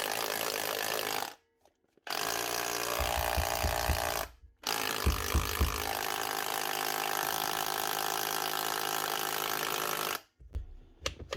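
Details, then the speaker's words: Dewalt DCH253 brushed cordless SDS drill, customer says it shuts down from time to time (suspected brush or lead problem): loud, rapid hammering in bursts of several seconds with clean stops between; normal hammer action. "Hammer's definitely working anyway. She's loud enough."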